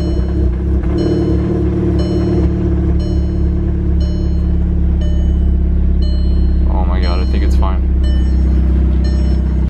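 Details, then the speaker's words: Built MK6 Golf R first start and idle the morning after installing aftermarket CAT cams and resealing the cam tower: low steady idle hum, no misses or ticking, birds in background; sounds healthy, though misfire or minor valve damage not yet ruled out. "So the engine seems fine. I won't really know for sure until I take it for a drive and see if it's misfiring and everything, but seems like it's fine."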